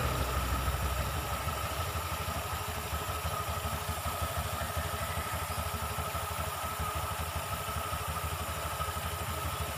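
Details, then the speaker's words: Honda Vario 125 CVT after disassembly and cleaning oil off the drive surfaces: steady, even, low, smooth idle with no rattle or knock from the belt drive. The earlier krek-krek knocking from the CVT is gone; normal idle. "dengarkan suaranya ya sudah halus nggak ada suara kentongan"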